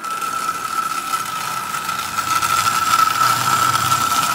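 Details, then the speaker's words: Rusted Marx prewar single-reduction toy train motor, last run before dismantling, fitted in a 999 shell: rough buzzing motor with steady high whine and uneven rattle like a lawnmower. Worn armature bearing; armature and brush plate need replacing. "anyway it does run but like i said it sounds like a lawnmower"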